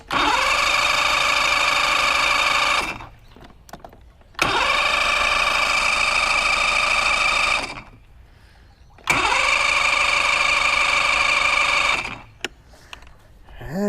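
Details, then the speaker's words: Mercury Classic 50hp outboard after stator, trigger and new power pack, plugs in: three long bursts of fast even cranking, never firing. Cranks but won't start; owner suspects a carb job and tries spraying something in. "she's probably a carb job covered up see what happens if I spray some stuff in there"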